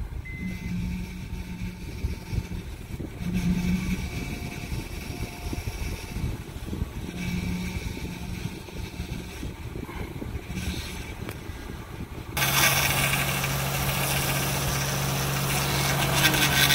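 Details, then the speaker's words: Acura TL/MDX cold start: steady low whine over idle from power steering pump, caused by its seals, not a failed pump. "So you turn the vehicle on. This is cold start, and I'm not sure if you can hear that whine noise."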